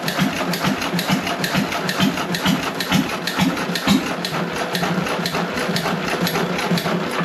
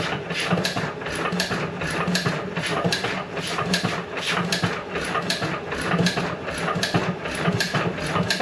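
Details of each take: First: John Deere 1.5 hp hit-and-miss gas engine first run after repair, no water in hopper, barely warm: firing pops about two a second with coasting gaps, no knocking; normal hit-and-miss running. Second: John Deere 1.5 hp hit-and-miss gas engine after re-fitting igniter spring held by zip tie: loose uneven pops one or two a second with heavy smoke, never settles; owner unsure whether too much or too little fuel.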